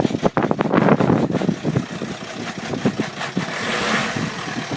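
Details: Skoda Octavia vRS PD170 TDI diesel with recall replacement injectors, started cold at 3°C: an irregular, stumbling clattery idle with uneven beats. Rough idle on the new injectors, cause unknown.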